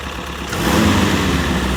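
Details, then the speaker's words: M151A2 MUTT four-cylinder after a valve adjustment, with the loose, slapping valves tightened and the idle lowered from too high: steady, even idle that firms up, no ticking or misfire; normal idle. "that sounds a thousand times better I know what it sounds like on camera but I ain't messing with it"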